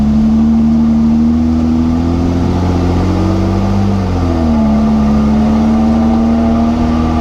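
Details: Jeep JK with NP205 transfer case: steady mid-pitched whine over road noise, rising and falling with speed while driving; owner suspects the rear differential, not confirmed.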